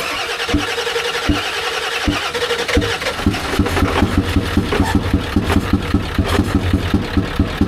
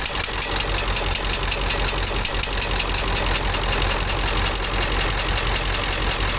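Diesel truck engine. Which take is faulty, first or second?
first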